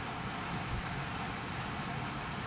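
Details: Hopsco ODF1500 outdoor wood furnace squirrel-cage blower fan, switched on manually, drawing 320 watts and moving 1500 CFM. Even, steady rush of air with a low hum, no ticking, scraping or wobble; normal running.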